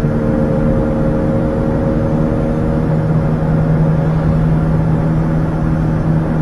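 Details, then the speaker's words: 2004 GM vehicle on test drive: low steady drone under road noise like a propeller plane, a worn front wheel bearing hum, not yet severe. "now we're going to see what she sounds like sounds like a world war two airplane flying over Dresden"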